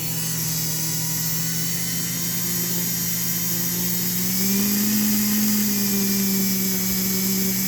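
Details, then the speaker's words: Rebuilt model train S'ta Rosa DC motor (vintage PulMor armature, Flyer brushes, six magnets, RC front ball bearing) at 12–13 V, 0.4 A: smooth steady hum rising slightly with voltage, no rough spots or ticking; normal running. "i'm telling you it's a hummer it's a hummer 12 volts 0.4 13 volts 0.4"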